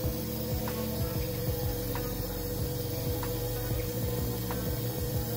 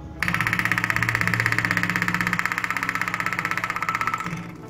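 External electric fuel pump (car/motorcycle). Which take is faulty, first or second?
second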